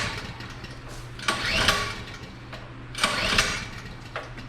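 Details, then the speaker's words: Generator unused for a while, pre-hurricane check set to run on propane, breakers off; two rough pull-cord strokes each whirr briefly without catching. Owner unsure whether choke or a propane valve/lever is needed; cause unconfirmed. Cranks but won't start. "maybe I got to have to choke on to start it I don't know just don't remember that's why I'm doing this ahead of time"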